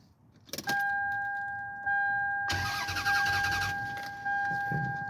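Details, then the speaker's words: 1999 Lexus ES300 with 186,000 miles, starting after replacing the fuel pump (Delphi pump, Spectra strainer); prime not heard, short crank catches fast and settles into a quiet even idle with door chime; clean start. "there we go started up this is quiet quiet it's extra quiet which is"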